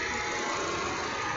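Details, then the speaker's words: Volvo XC70 Cross Country with 331,231 miles at idle: steady airy rush of the radiator fan staying on continuously, engine otherwise sounding good and not overheating; owner suspects a bad thermostat sensor, cause not confirmed. "But otherwise, the the the the engine sounds good. It's just that that fan is on continuously."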